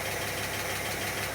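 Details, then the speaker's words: Barn-find 1960s Bristol 408 with Chrysler 5.2 V8, revived but not yet driven or cleaned: a smooth, even idle with a steady low rumble and no knocks or misses; normal idle. "against quite a few odds the barn fine Bristol 408 is running really nicely"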